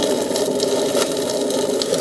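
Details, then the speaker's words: Waste oil boiler burner fed water-contaminated oil: pure water thins fuel in the burner bowl/pot, steady crackling hiss with spitting pops as water boils off, getting smoky; water sizzling in burner. "just pure water coming out of that watch see okay that's the end of it today now that water's going to get down there unless it evaporates out"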